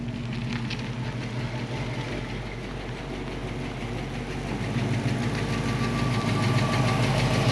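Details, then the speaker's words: 1966 Ford Mustang coupe, factory 289/302 V8, 4-speed: idle with a light regular tick about three per second over low rumble, driver's side; owner suspects exhaust leak at headers or manifold gaskets, not confirmed; gasket replacement did not clearly cure it. "it sounds like maybe there's a an exhaust leak going on here whether it's the headers themselves or the exhaust manifold gasket we're gonna check it out"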